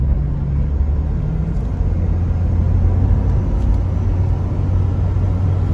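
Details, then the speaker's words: 2004 Chevrolet Trailblazer LS EXT 4x4 4.2L six, test drive after replacing both front wheel hubs for a passenger-side hum and pull to the right: coasting downhill on smooth pavement, only low even road rumble, no hum; the hubs are healthy. "this downhill run on this road i can coast i don't have any engine noise whatsoever and didn't hear a thing so that humming noise was definitely the wheel hub because now it is no longer humming"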